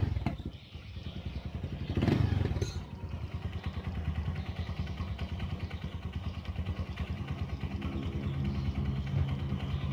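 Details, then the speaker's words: Honda Verza fuel-injected single after repairing a clattery top end caused by running out of oil: even, steady idle thump with no clatter or knock; sounds normal. "suaranya udah oke ya temen-temen ya oke dan tadi udah udah lem er ke tapi kendalanya udah ketahuan ya dan sekarang udah oke suara udah normal ya"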